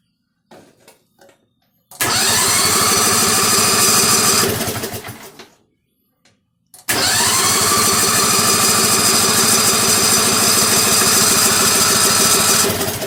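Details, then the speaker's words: Struck Magnatrac MT2000 with newly mounted engine, first start before first drive: cranks, fires and runs up to a loud, steady note, stops, then restarts cleanly and holds even; sound, healthy running. "That's what I'm talking about. Sounds like a Volkswagen."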